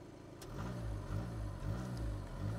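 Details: Skoda Laura 2.0 TDI diesel after fixing low pickup and MIL caused by injectors and the common rail. Steady low rumble rising and falling evenly with throttle blips, no misfire, knock or stumble; no errors or smoke: sounds healthy.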